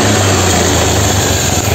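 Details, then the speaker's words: 2016 Honda Scoopy eSP ISS fuel-injected scooter, brought in dead with blown ECU after six months at another shop, running after repair and lightly revved: clean, even smooth buzz, no knocks, rattles or misses; normal running. "Itu motornya sudah nyala Coba kita sedikit kasih geberan ya"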